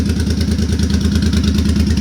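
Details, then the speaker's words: Suzuki Boulevard C50 V-twin after a new fuel injector and Cobra FI2000 fuel controller install: even lumpy potato-beat idle with regular pulses, no skipped beats; owner feels the earlier idle miss is fixed, valves barely heard. "i was having a little bit of a miss while it was idling before this but i feel like this fixed that and i don't have any engine noise at all"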